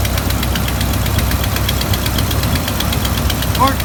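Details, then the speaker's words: Engine starting and idling with a known exhaust leak, during an alternator replacement: sharp, quick ticking puff over the low engine hum from escaping exhaust. "So anyway, I'm going to start it up, and don't worry, the exhaust leak's the next thing to get fixed."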